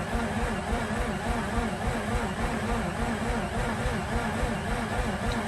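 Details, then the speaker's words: Mazda RX8 not starting, fuel leak found, clutch pushed in, replacement battery fitted, giving it 200 A: steady, sluggish cranking under two pulses a second for about 40 seconds with no catch; new battery suspected weaker, not confirmed. "giving it 200 amps it sounds weaker than what it was all right that's like 40 seconds of cranking not a really good first crank"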